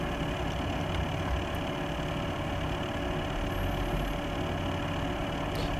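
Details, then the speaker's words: Corsair H100 AIO water-cooling pump in a PC with eight Corsair SP120 quiet fans at idle: steady hum with a fixed high tone far louder than all fans combined; defective loud pump, fixed by Corsair replacing the whole unit. "that noise you hear is entirely coming from the pump there are eight fans running and what you hear is the pump"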